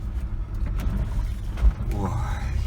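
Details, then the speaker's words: Kia Sportage I tailgate after repair, old-hose rubber bumper: rough road, just low road rumble, no rattling or squeaking from rear hatch; tailgate quiet. "грохот пропал ну и скрип соответственно тоже сами все слышать как было и как стало"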